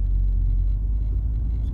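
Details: VW Golf rolling slowly: deep, steady rumble with vibration felt through the steering wheel at low speed, from bulges inside the tyres.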